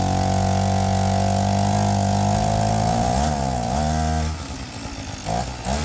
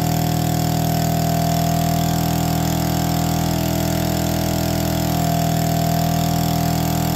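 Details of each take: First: APC Mini Chopper two-stroke engine with a raspy buzz held steady, then dropping and blipping, with a sharp puffing edge. Exhaust is leaking at the muffler gasket; the owner plans to fit a graphite gasket. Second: APC mini chopper, electric start with no choke after priming: it catches and settles into a steady, even idle with a constant buzzy note, no misses or knocks. Normal idle.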